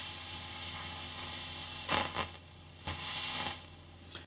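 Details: Fender ProSonic valve amp on the bench after a full recap, miked at the bench cab. Steady hiss and hum with irregular scratchy crackle bursts as the normal channel's volume and treble controls turn: dirty, noisy pots.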